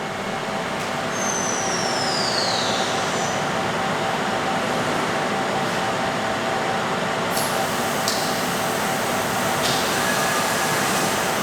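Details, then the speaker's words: Live tool on a machine making pocket clips, spinning at 6000 rpm: loud, steady high-speed roar with no knocks or grinding through the whole run. Normal noise, from the tool's many gears and bearings. "first of all I apologize for the loudness of that machine that way it's the one of the live tools we're making saga pocket clips on that machine its roar in a way at 6000 rpm there's a lot of gears and bearings and stuff that just it just sounds like that"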